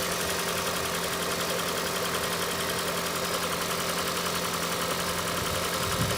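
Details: Engine idling during oil pressure test on a 2012 Toyota Prius 2ZR-FXE: a light, rhythmic tapping at engine speed over a steady hum. Knock source not yet found.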